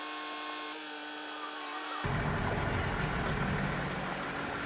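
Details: Range Rover Sport air suspension compressor after replacing the faulty pump (scan showed exhaust valve and compressor circuit faults): steady electric motor hum with clear pitch, then louder rush as car lifts; rear rises quickly, front slower; compressor now works properly.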